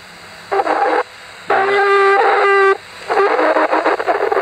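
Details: Yaesu FT-817, testing with another microphone: bursts of warbling, chirping tones like a ZX Spectrum tape loading, cutting in and out over the receive audio. Fault unknown.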